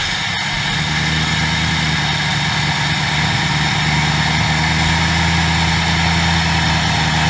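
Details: 2003 Mercury Marauder V8 after installing new ignition coils with siliconed valve cover o-rings: loud, steady idle with an even low rumble, no misfire stumble or ticking.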